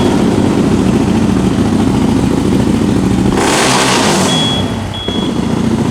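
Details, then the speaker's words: 2021 CFMOTO CFORCE 800 revved hard toward the rev limiter; engine climbs, then a thin high steady beep sounds twice near peak revs, the RPM high alarm beeper; rev limiter warning beeper. "all right so you heard when it revs up and anytime i break the rear tires loose it ramps up to the rpm alarm high alarm and makes that beeper go off"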